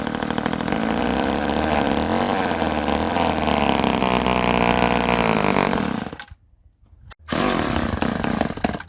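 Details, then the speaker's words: Ohlsson & Rice chainsaw sat 20+ years, running on prime: buzzes unevenly at high revs about six seconds, dies, briefly catches again; not pulling gas, owner suspects a small plugged part, fuel starvation. "now we got to do is maybe figure out why she's not pulling gas I have a feeling that this little number just might be plugged up"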